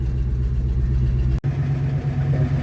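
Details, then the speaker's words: 1979 Rolls-Royce Silver Shadow, first start, about 30 seconds into a cold start: steady deep rich idle with occasional soft exhaust pops, first suspected as an exhaust leak but just a cold engine running rich through a very large exhaust; normal. "there might be a little leak in the exhaust because uh you can hear a bit of pops but that could also just be it's a cold start right now so it's running a bit rich"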